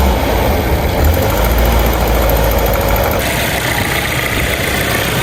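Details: Volvo (turbo model) at idle after repair: turbo removed and refitted, broken exhaust manifold studs extracted, new manifold gaskets; even, steady idle with smooth low rumble, no ticking or puffing from the manifold; earlier knock-like exhaust leak gone, healthy.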